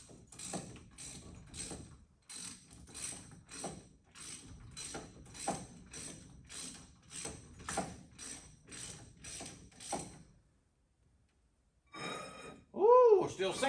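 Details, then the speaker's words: 1963 Mercury Meteor after drum-to-disc brake conversion, hub spun by hand: scrape about once per turn, pulsing with rotation; new rotor not running true. "sounds bad it takes yet but it still sounds bad rotor don't sound straight"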